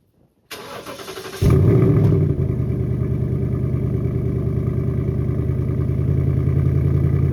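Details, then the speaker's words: Mustang GT Coyote V8 started after DIY oil change and rear brake job, off the ramp: quick crank, clean catch and flare, then steady even idle with no knocks or ticks; running healthy. "Oh, she sounds pretty good. She sounds pretty good."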